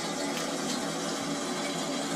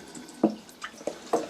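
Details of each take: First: Toilet cistern refilling after a flush, after fixing a leaking siphon membrane that let water run into the bowl: even, steady rush of water with no surging or trickle; normal refill. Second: DIY 🚽 How To Stop Water Leaking|Running|Dripping|Trickling into Toilet Bowl/Pan - Fix/Repair WC|Loo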